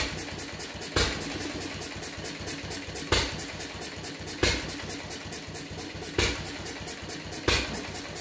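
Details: Fuller and Johnson hit-and-miss engine on first run after cleanup, battery and 6-volt coil box, started with a little choke: power-stroke bangs every 1–2 seconds, uneven spacing, lazy firing; owner suspects running rich, plans checking mixer and RPM.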